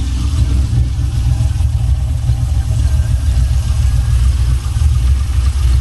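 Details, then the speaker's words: 1979 Buick Regal with a swapped LS 6.0 V8 and new exhaust: deep, heavy idle with an uneven loping pulse at low revs; big-cam V8 idling normally. "Mount cam. You got a mount cam in, y'all."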